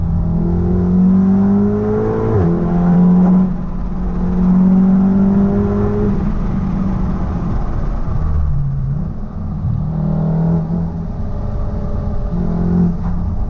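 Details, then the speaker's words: 500+ BHP MK7 VW Golf R after fitting ECS Tuning engine and gearbox mounts, driving: deep droning exhaust note and low hum rising and falling through the gears; stiff mounts pass strong vibration into the cabin, worst setting off and accelerating, easing as they bed in. "At first, I thought, oh my god, I'm taking these mounts off, they're too, like all the car's shaking, especially when you set off and when you're on the acceleration, the vibration's absolutely insane."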